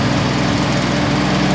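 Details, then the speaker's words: 1948 Jeep CJ2A revived after 30+ years, warming up with coolant flowing, known vacuum leak: steady, slightly uneven idle with a light rattle over the engine note; source unidentified, owner says no big deal. Rattle at idle. "We got something rattling in here. No big deal."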